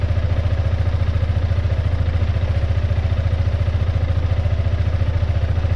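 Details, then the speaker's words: Piaggio MP3 500 scooter on its original exhaust, idling and revved to about 2000–4000 rpm, measuring 84 dB average and 111 dB max: a low thumping idle with a tinny clatter on top. Tapping the exhaust shows something loose or breaking rattling inside it. "on entendait un claquement et en tapant sur l'échappement, on a remarqué que l'échappement il brelinguait à l'intérieur. Donc il y a certainement quelque chose qui s'est barré dedans ou qui est en train de casser et qui peut faire ce bruit."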